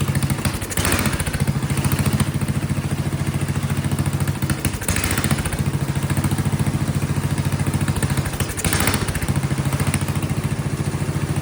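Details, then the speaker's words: Vintage Kohler flathead generator engine, gravity-fed, condenser perhaps attached a little better, seems to want choke; thumps unevenly and surges about every four seconds. Owner suspects fuel delivery or carburetor, unconfirmed. Rough running with surging. "And then it seems to also, that makes it sto"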